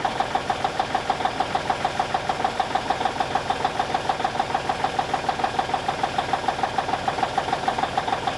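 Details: 1989 Kenworth K100E with a Cummins Big CAM IV diesel idling after a -6 °C cold start: even, steady clatter at about 200 beats a minute with no misses or knocks, a little smoky, healthy while warming up.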